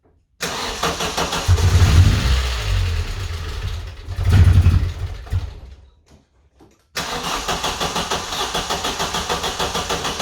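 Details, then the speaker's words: 1994 Vauxhall Astra GSi, C20XE Red Top engine, cold start after injectors were removed and cleaned and a new battery fitted: cranking with stumbling catches, a pause, then lumpy idle pulsing about four times a second, attributed to air in the fuel system. "as you saw then the car eventually started up and obviously there's going to be a bit of air in the fuel system after taking the injectors out and cleaning them"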